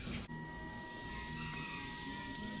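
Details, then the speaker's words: 1994 Chevy C1500 OBS with a 6.0L LS swap, key-on fuel system priming before first start, after a fuel leak was fixed. A faint steady whir holds an even pitch for a couple of seconds. Normal fuel pump priming. "We're good. I think I think I think the system's primed, bro."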